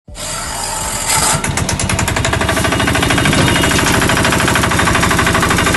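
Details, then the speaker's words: Bajaj auto rickshaw (three-wheeler) small engine, changed sound: loud, rapid, uneven clatter over a harsh, rattly running note, traced to a blown head gasket (head packing). "तो दोस्तों जैसे की आपने अभी देखा की इंजन के साउंड किस तरीके से चेंज हो चुकी है तो इस तरीके से इंजन के साउंड क्यों चेंज हुआ तो हम लोग आज इसी के बारे में बातें करने वाले हैं"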